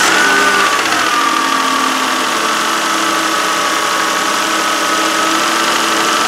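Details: 2013 Kia Sorento AWD, 3.5 L V6, just under 80,000 miles, cold start, camera close to serpentine belt; idle with steady groaning drone and thin pitch-shifting whine, suspected worn idler and tensioner pulley bearings.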